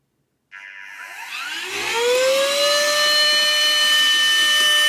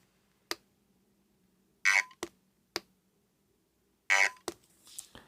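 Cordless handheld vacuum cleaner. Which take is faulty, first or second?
second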